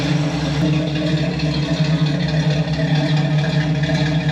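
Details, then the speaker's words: Ford Galaxie XL V8, revived after being parked 38 years, now with straight headers fitted: a deep, even burble at idle with a steady rhythm, no lifter ticking; quiet, smooth and healthy. "You hear any lifters? Quiet, happy, smooth, healthy."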